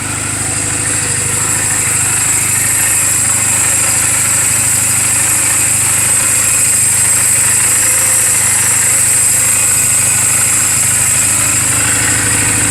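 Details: 2007 Honda Rebel 250 idling in neutral just after an oil change and valve clearance adjustment: an even single-cylinder beat with no stumbles or valve ticking, with some background hiss. The engine is running perfectly, a normal idle.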